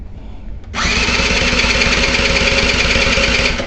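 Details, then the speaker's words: Scooter engine cranking: starter spins fast and light at about three pulses a second with hardly any labouring per stroke; compression check reads only about 27 to 28, low compression. "I just basically haven't done anything since the other day when I did the compression check on it, all that kind of stuff. It's still, no compression."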